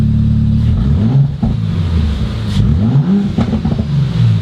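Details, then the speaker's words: 2019 Audi RS5 rebuilt from a heavily damaged auction car, first full warm-up: loud, deep exhaust climbing and falling through quick throttle blips, clean and crisp with no misses; sounds almost too good to be true, and they wonder whether it is tuned. Normal healthy revving. "i know it sounds really good like a little bit too good to be true like what the heck is it just a really muffled dude that's all it takes"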